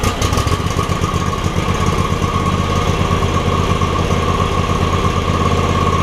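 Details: John Deere X300 mower with no spark and a suspected bad control module; a black wire was pulled to bypass it, start was a little sticky. Single-cylinder engine settles into a steady, slightly uneven idle with an even low thump: normal idle.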